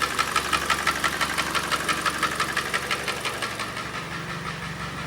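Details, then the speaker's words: Hyundai i40 G4NA petrol engine, 170 mileage, with replaced short block and seized timing chain tensioner: loud sharp metallic knocking about three a second from under the hood at idle; full teardown and measuring planned. "отчетливо слышным стуком звоном брякам из-под капота пробег у нас 170 стучит хорошо стучит громко стучит качественно"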